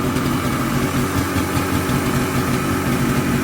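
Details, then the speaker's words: Polaris Colt two-stroke after choke work (choke cable broke), now idling on its own where it wouldn't before; steady fast idle with even crackle, sitting a little high, revving out much better than before: high idle speed. "Well, it's idling. It didn't idle before. Sounds like it's idling a little high."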